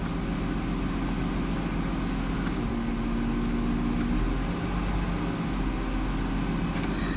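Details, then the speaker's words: 2006 Mazda MPV 3.0 V6, hard to start and stalling: idle stays flat, barely above normal, while about 4000 rpm is requested by scan tool; IAC at 100% duty cycle, sticky idle air control valve, replaced. "it's going to attempt to raise the idle speed and as you can see here it's not we're barely above a normal idle speed and i'm requesting like 4000"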